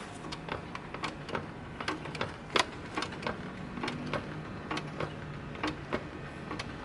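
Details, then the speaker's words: Honda C90 Cub project bike: pumping the suspension gives uneven dry clicks and squeaks with every stroke; worn suspension, one side not working at all, whole set to be replaced. "the suspension is had it. So I think this side's had it. This side's not going at all, so I'm going to have to drop all this out."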